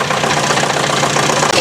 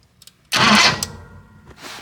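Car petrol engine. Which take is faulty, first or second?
second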